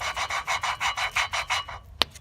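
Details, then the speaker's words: Volvo 960 cylinder head valve job for a turbo build: a freshly lapped valve is hand-lapped with grinding compound, giving about five even rasping strokes a second with no catching or grit; the newly seated valve turns with more resistance than the old one. "here's the one that's just been freshly resealed it's also harder to move than this one over here this one almost wants to move freely"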